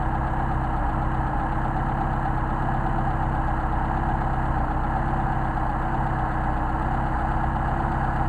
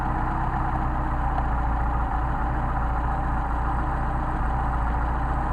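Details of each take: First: Mercedes 190SL with Solex carburettors, idle mixture screws being adjusted; steady idle with a slightly uneven beat and an occasional stumble as revs sag, as the mixture screw is set too far out. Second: Rebuilt Solex carburettors for a Mercedes 190SL, synchronised on a test engine with the idle screws backed down to about 600 rpm: a low, steady idle with an even, smooth beat and no misses or hunting; healthy idle.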